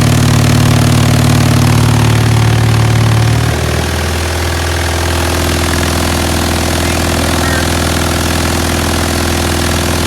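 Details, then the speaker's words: DIY 3.5 cu ft vibratory tumbler, direct-drive 3 hp three-phase motor on frequency drive, run up to about 120 Hz with nearly dry ceramic hybrid media (best performance about 88 Hz): steady deep hum with dry media rattle, pitch drops once then holds; normal running. "you can change the amount of counterweight and that will change the frequency that it runs at but it runs it runs great I mean you can hear it"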